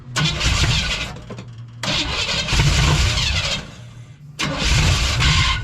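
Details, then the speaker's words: 1956 Chevy 150 with a 35-year-old engine: with the coil confirmed working, fuel is added to the fuel pump and cranked; bursts catch briefly and die between pauses, never idling; fuel delivery problem, a leak found. "So but our problem is our fueling system. So what we're going to do is we're going to put a little bit more in the fuel pump here."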